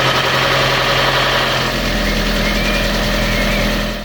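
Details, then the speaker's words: Fiat 500 petrol after timing belt and clutch change, first start with parts still off: steady, even idle with slight hum, no knocks; runs pretty smooth despite missing parts, system to be bled. "Obviously, it's going to run a bit crappy because all this is off the minute. Um, pretty smooth."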